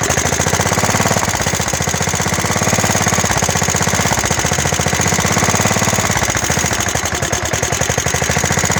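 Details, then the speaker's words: Craftsman LT1000 mower, Kohler, hydro, sat about five years, cold start on carb cleaner: quick steady single-cylinder beat with rattly exhaust bark; running normally. "there she is she's running so like I said I'm gonna wire it up like mud mowers do away with all the safety stuff"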